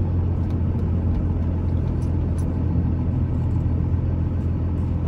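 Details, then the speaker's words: 2001 Dodge Ram 3500 dually 4x4 with 5.9 Cummins diesel, 77k miles, slowing for a corner: only steady low road and engine rumble, with no squeal, whine or grinding; brakes quiet and healthy. "they don't make any noise at all this week they don't whine"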